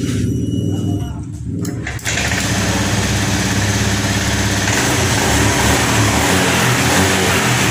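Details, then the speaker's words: Honda Scoopy ESP FI automatic after tank cleaning, restarted on its original fuel pump (no external pump) at 30 pressure; catches after brief crank, runs steady with clean revs, no bogging; now stable, not ngempos. "Oke, baiklah teman-teman. Motor di sini sudah menyala dan stabil, tidak ngempos."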